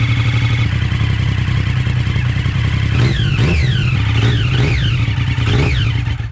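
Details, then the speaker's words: 2013+ Triumph Daytona 675 first start after new spark plugs, air filter, oil service and a homemade de-cat header; fuel pump cycles, then steady deep idle with crisp clean throttle blips; runs healthy. "yeah the uh fuel pump always Cycles at the beginning"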